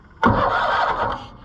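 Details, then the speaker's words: Cushman Truckster auction find with ignition points, start attempt: short starter cranking that never catches; engine turns over but won't fire, owner suspects points not firing, like 2-cylinder John Deere points. "Nothing. This is kind of the same problem I had with those 2-cylinder John Deere points. They don't want to fire."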